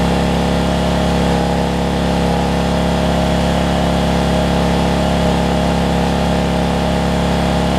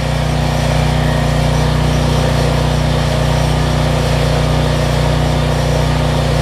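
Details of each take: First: Generac 7500EXL generator running after unplugging faulty low-oil sensor that shut it down after 3-5 seconds; steady even drone with strong low hum, no hunting, but pitched slightly high: engine overspeed, governor/throttle speed set too fast, later slowed down. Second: Generac 7500EXL generator, needed choke to start, running under about 1500 W heat-gun load with the faulty low oil switch unplugged and engine speed turned down; steady, even drone with no hunting or surging.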